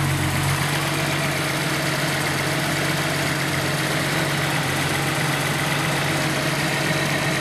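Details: Nissan 280ZX at idle right after replacing fuel hoses and fuel filter: steady, even idle with a smooth low rumble and no knocks, misses or hunting; engine running cleanly.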